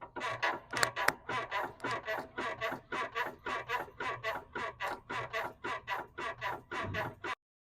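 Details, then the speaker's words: Suspension creaking like an old bed: rhythmic squeaks about twice a second as the body rocks, traced to worn sway bar end links, which are to be replaced to cure the noise. "logramos ver que las billetas están provocando un ruido y un chillido en la suspensión. Aquí no hay nada. Vamos a cambiar las bieletas para quitarle el ruido y el chillido que tiene la suspensión."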